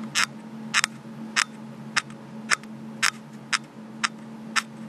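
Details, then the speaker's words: Panasonic GF2 camera, a week old: sharp squeaks, nine in five seconds, from the body when gripped and moved or when the record button is pressed, picked up by the built-in mic. "can hear pretty good in the video and all you're doing is just basically holding the camera and moving it around and sometimes you get the squeak you can see how that gets quite annoying"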